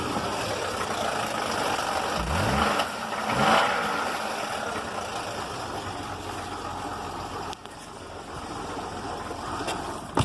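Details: 2005 Buick LaCrosse 3.6 V6 with 142,000 miles, towed in after shutting off on the highway. It restarted and idles, with loud top-end clatter and a deep bottom-end knock, about ten codes including cylinder misfires. Engine done.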